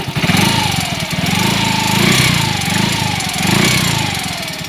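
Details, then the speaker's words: Yamaha X-Ride 125 with a Diasil cylinder, warm idle with an uneven, rough, rattly top-end noise that rises and falls; it runs smooth when cold. The mechanic initially suspects the cam chain, whose tensioner was replaced with a bolt; unconfirmed. "dapat kiriman Yamaha x-ride 125 seperti ini dengan keluhan ada bunyi berisik di area mesin"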